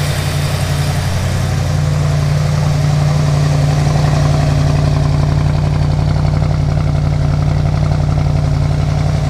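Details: 1971 Plymouth Duster 340 V8 installed in a 1936 Dodge street rod, after hooking up the heater and refilling antifreeze: strong, even low rumble at steady idle with a regular lope and no ticking or knocking; normal idle.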